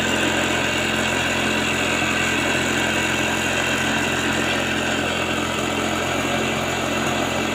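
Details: Piaggio SR50 two-stroke scooter on its stand after clutch and roller work and exhaust bracket welding: steady, even two-stroke buzz at idle with a fast consistent beat, no knocks or misses, fuel filling through the valve; healthy.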